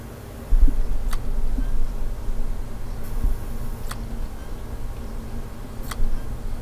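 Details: Failing hard drive in a Lenovo Y50 laptop, microphone placed near the drive: sharp isolated clicks every second or two over a faint hum, irregular and repeating. The laptop fails to boot, showing checking media and boot drive failed. Click of death.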